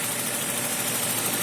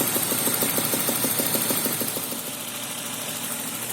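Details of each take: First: BMW M52 2.0 petrol engine after replacing spark plugs, which cured an engine knock: even, steady idle with no knocking or stray noises; normal idle. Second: BMW M52 2.0 petrol engine idling with a sharp regular knock, about three a second, caused by worn spark plugs; the knock disappeared after the plugs were replaced.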